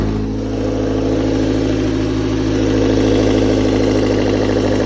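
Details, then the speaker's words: Toyota A4FE engine at idle: a regular tapping about three times a second riding over the engine note; owner suspects the camshaft or valves. "Вот сейчас ездил, сука. Такое чувство, что распредвал или клапана."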